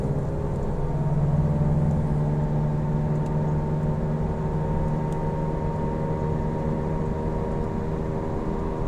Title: Falken FK510 loud noise